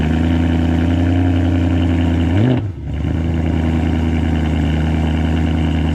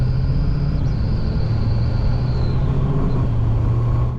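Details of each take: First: BMW E92 M3 V8 with rear box cut open and modified: cold start, deep steady idle with even low burble and two quick throttle blips; normal cold start idle. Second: Rebuilt BMW E92 M3 with a custom exhaust built around the standard box: an intermittent thin, high whistle over the engine rumble, only at very light throttle. It seems to come from the intake side; the source is unknown.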